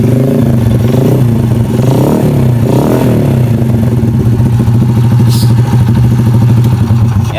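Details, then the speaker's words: Honda Supra Fit New single-cylinder motorcycle after repair: rough noise like a bad connecting rod was actually a loose clutch bell with loose rivets, plus damaged piston, all replaced; blips up and settles smoothly, no knocking; normal revving. "Suaranya itu sekarang lebih halus, lebih enak ya, lebih empuk ya suaranya karena sehar semuanya udah diganti ya dengan yang baru."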